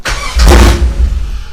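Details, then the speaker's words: LS1-swapped Nissan Patrol, first start with vehicle anti-theft deactivated; slow key turn does nothing, quick turn from accessory to start sometimes fires; short burst as engine catches then dies within a second, intermittent no-start. "As you saw, really quickly. If you turn it really quick, it will actually fire. But if you go slow, it doesn't."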